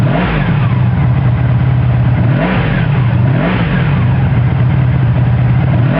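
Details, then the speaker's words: 1984 Honda Sabre V45 motorcycle, all stock except the turn signals. A smooth, even V4 drone rises and falls cleanly through several throttle blips with no knocks or rattles; a sound engine. "Real nice motor."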